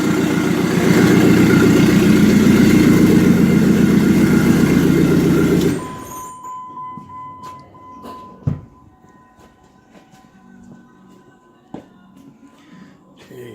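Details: Jeep Cherokee after fixing a no-start caused by a used breaker's-yard crankshaft sensor, new sensor fitted and waveform now good: steady, even run with a regular firing beat for about six seconds before shutoff; healthy.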